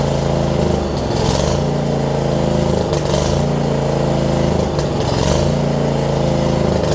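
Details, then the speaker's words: John Deere LX279 riding mower, liquid-cooled engine, first start with the carb bowl empty, hours unknown: steady single-cylinder beat with slight surges, rough at first and improving as it settles. Normal running. "All right. Didn't like it when we first cranked it up. Wow, cranked it up, but seems like it's getting better. It might just be a characteristic of this liquid-cooled engine too."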